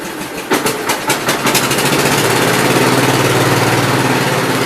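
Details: Engine not run for about a week, after a fuel line repair for a suspected fuel issue. A few cranking chugs, then it catches within about two seconds and settles to an even, steady idle. Starts and runs fine.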